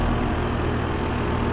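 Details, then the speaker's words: 5-ton 2001 Trane XE1000 Weathertron heat pump in heat mode under high load, outdoor unit: heavy, steady low rumble and drone with a shaky buzz. The fan grill and side condenser cover are vibrating. "this thing's very shaky this is um shaking this um the fan grill is shaking the um loot the um condenser cover on this side is shaking"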